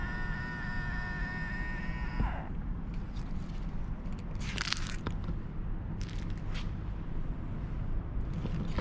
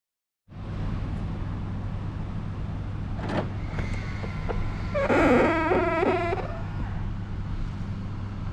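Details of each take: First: BMW power-folding side mirror after service-centre lubrication for a plastic-rubbing screech when folding: short smooth motor hum of about two seconds, stopping cleanly with no screech or scraping; mirror now folds quietly. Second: BMW power-folding side mirror: over a quiet idle, the mirror motor folds with a stuttering plastic-like screech for about a second, annoying rather than serious; squeaking mirror, taken to the service center to fix.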